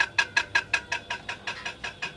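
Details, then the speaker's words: Ceiling fan running: sharp ticking about five times a second, noise stops when power is cut though blades keep turning; caused by loose, unevenly tightened cover nuts, plastic bottom cover, cast top cover. "তো সমস্যা হলো ceiling fan যখন চালু হয় তখন আওয়াজ হতে থাকে, নয়েজ হতে থাকে এবং যখন পাওয়ার সাপ্লাই অফ করা হয় তখন নয়েজ বন্ধ হয়ে যায়।"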